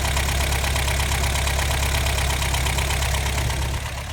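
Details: 1984 22RE engine at idle; timing chain, tensioner and guides were done by a previous owner. An uneven tapping of about three knocks a second runs under a steady idle; ticking/knocking noise of unknown origin.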